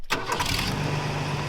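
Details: Toyota Tacoma six-cylinder that had seemed not to fire on all cylinders, restarted after checking the plug wire was still arcing: a quick start, then a smooth, even idle with a steady low drone and no stumbles; running much better, normal idle.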